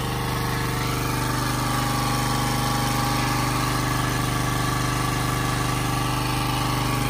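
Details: Generac 79cc gas water pump, months after repair (suspected overly strong cam decompression spring), pumping out a basement: steady, even engine beat at constant speed, no knocks or misses, pulling smoothly under load; normal running.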